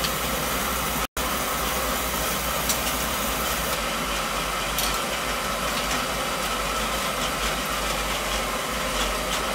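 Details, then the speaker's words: Oil-fired boiler burner running with an even, continuous roar and no cut-outs after one brief break, after tripping the main panel breaker on burner start; circulators and control reconnected; normal burner operation. "Yeah, she's running now."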